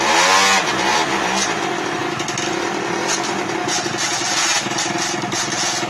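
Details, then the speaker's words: 1999 SYM Jet 50cc two-stroke scooter, previously non-running (no spark), after exhaust refitted: crisp buzz climbing and settling, revs pick up cleanly without stumbling; running properly. "the answer to will it work yes it will"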